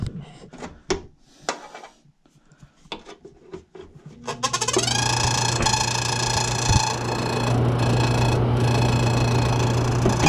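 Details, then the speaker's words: Washroom exhaust fan: steady motor hum with a faint scraping rub, noisy when the unit hangs low but quiet when raised; the blade touches the housing, fixed by adjusting it away. "maigay siya pero pag nakataas hindi naman pero nakababa"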